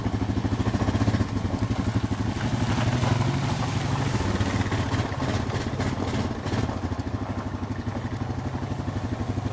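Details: Honda 420 misfiring at start, front brake interlock; uneven stumbling idle thump about three beats a second, engine misfire.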